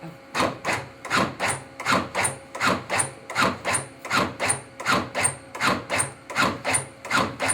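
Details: Vidalia Fire Department's new AutoPulse automated CPR compression unit for cardiac arrest, activated for a demonstration. Crisp, even whir-thump cycles at about 80 a minute with no stumbles. Normal operation.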